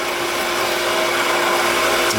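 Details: Half-horsepower shallow well pump, 2-inch well, 40-gallon galvanized tank, after capacitor, start switch and pressure switch replacement, waterlogged tank drained, air volume control fitted, flow throttled: even motor hum with smooth water rush, no knocks or surging; running normally.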